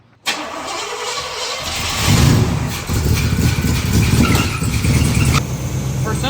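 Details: 1980 Oldsmobile Cutlass junkyard car in frigid weather: short crank, catches quickly and settles into a steady, deep, even idle with no misfire; starting and running normally.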